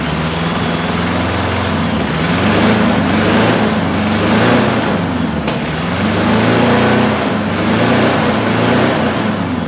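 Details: 1976 Porsche 914 VW Type 4 2.0 fuel-injected flat-four, barn-stored 30 years, running on a test stand out of the car after oil, plugs, fuel and vacuum hoses: fast but surging, wavering note; rough running, owner suspects vacuum leaks, timing, plug gap.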